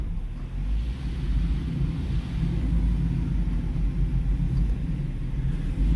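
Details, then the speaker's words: 2016 Chrysler 200 on lift, wheels off ground, in gear, no load on hub bearings, which checked fine; deep steady growl same as on road test persists, so it comes from the transaxle. "Whoa! Y'all hear that? That is the exact noise I was hearing on the road test driving. Guys, I'm in gear. No load on the hub bearings."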